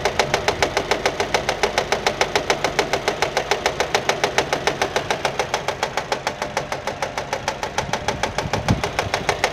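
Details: Nissan at smooth idle with sharp, very regular slapping about three and a half per second; engine found fault-free, noise came from a fraying alternator belt striking the metal body.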